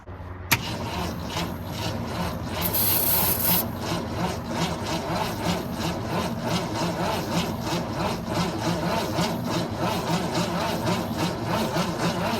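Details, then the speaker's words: 1964 Ford Falcon wagon that sat 46 years in a field with plugs removed, cranked after reinstalling plugs: sluggish cranking at about three strokes a second with no firing, not even a pop. "Nothing yet. Not even a pop. I don't know if this thing's turning over quick enough."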